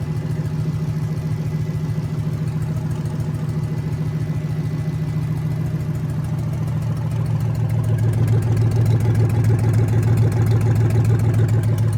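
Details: Junkyard 2009 5.7 Hemi V8, about 80,000 miles, with Hotwire harness and 09 Challenger PCM, on a run stand with fans running: deep even idle burble, then a smooth step up in speed near eight seconds, no knocks or misses. Normal idle and revving.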